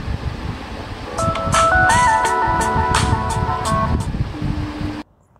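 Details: Samsung Galaxy Z Fold 3 speaker test in the *#0*# test mode: a clean melody for about four seconds at steady volume, with no buzz, rattle or crackle. The speaker is healthy.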